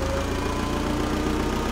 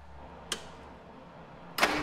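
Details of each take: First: Vintage Allis Chalmers FP-40 forklift after fuel system overhaul, first run in months, idle raised: low idle with a faint wheezing hum; engine labouring against a loaded hydraulic pump, with the tire turned. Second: Allis Chalmers FP-40 forklift after a complete fuel system overhaul, unrun for four or five months, with oil shot into the cylinders: a few cranks, then it catches quickly and settles into an even, steady idle at about three beats a second; it starts clean.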